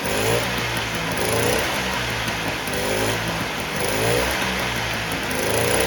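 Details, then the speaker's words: 1958 Allstate (Sears) Vespa 125cc two-stroke just cold-started after sitting about a year: steady putter settling into an even idle as it warms up, no misses or stumbles; running smooth. "well that started up a lot easier than i thought it would usually it just takes a bit of time for the gas to start falling down in it but it's running smooth"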